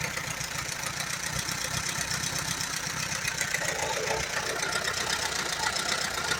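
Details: 1938 Allis Chalmers B with Waukesha gasoline engine: ragged, uneven chuffing at about four beats a second that stumbles and hunts. It runs only on choke, plugs are slightly rich, and the carburetor needs rebuilding badly.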